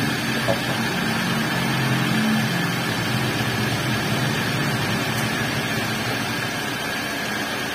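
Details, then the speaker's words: Older Toyota Avanza after replacing the center bearing and refitting the propeller shaft, which had caused rumbling at high speed: steady, smooth driveline whir with no rumble or grinding; the rough noise is gone. "dan untuk suara kasarnya di sini sudah hilang karena untuk senter beringnya sendiri sudah kami ganti ya"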